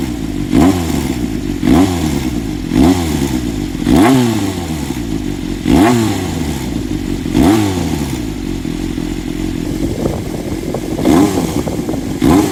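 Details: Honda CBX400F, pre-regulation model, low-rpm idle: low rumble with a thump and rising blip about once a second; abnormal engine noise found at low revs.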